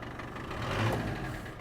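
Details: Land Rover Defender 110 diesel during a rebuild, before its MOT: steady, even idle with a low, regular beat and no knock; barely smokes, a little under load; exhaust rattles on the mud flap; engine running healthy.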